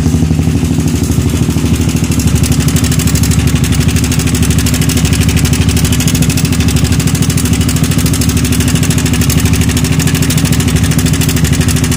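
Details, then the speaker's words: Yamaha R15 motorcycle: harsh, extreme metallic ticking rattle at idle and while revving, after sudden onset. Cam chain is still good; the cam chain tensioner fails to extend properly, leaving the chain slack. "Oke teman-teman, jangan terlalu lama-lama karena suaranya sangat ekstrim sekali."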